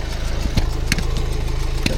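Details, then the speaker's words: BMW 630i bought for scrap, starting with a weak battery: a rapid, even puffing chuff on every firing stroke over a lumpy cold idle. This points to a blowing, chuffing injector, with oil dripping underneath. "We'll have to listen to Dean's chuffing injector. Let it take over."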